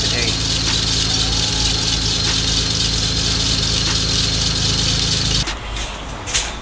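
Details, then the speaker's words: Lexus GS300 with a 2JZ-GTE VVTi turbo engine, running: a loud steady high-pitched screech from the glazed serpentine belt slipping on its pulleys until the engine is shut off; serpentine belt squeal. "all because the belt is glazed whenever you have a glaze the belt it is going to squeal i don't know even if you can hear me talking but it is so loud"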